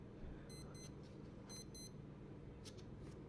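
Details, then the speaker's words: Casio A159W watch alarm going off after being submerged in water in a closed container: two bursts of quick high chirps, four beeps each about a second apart. The alarm sounds clear and works normally. "الاختبار بتاعها نفع، مفيش اي مشاكل."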